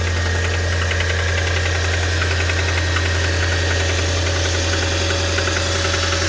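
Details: Audi A4 B7 2.0 TFSI engine at idle: steady hum with a quick, fairly regular light ticking whose source can't be pinned down; engine ticking noise at idle.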